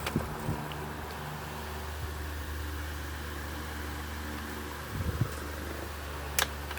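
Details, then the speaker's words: Duracraft 12-inch desk fan after cleaning and partial service; even, steady motor hum with low purr, runs faster and moves more air than before, better spin-down, healthy. "I mean, it moves a lot more air now. It didn't really move too much before. It was running kind of slow."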